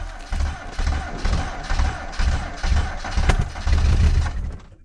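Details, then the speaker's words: 1990 Ford Festiva, stock engine, cold start at −20 °C after sitting over a year: slow uneven low thumps as it catches, then one sharp backfire pop; noisy valve adjusters later calmed down. "weird backfire yeah"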